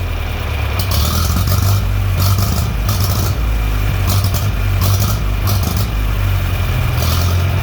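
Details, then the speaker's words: John Deere 3020 LP with new head: low, steady, even chugging, no stumbles or hunting; smooth normal idle. "there we go full idle be a little bit more adjusting on the carb but this time the carb adjustments actually did something"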